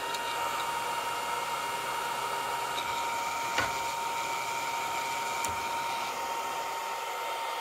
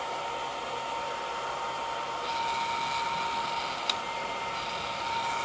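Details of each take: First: Longer Ray5 20 W laser engraver module fan with the original stock grill at constant speed: steady thin high whine over loud rushing air; cooling fan whine from stock grill. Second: Longer Ray5 20W laser module fan fitted with a custom duct and modified grill, running at a steady speed with an airy white-noise rush and almost no whine. Normal fan noise.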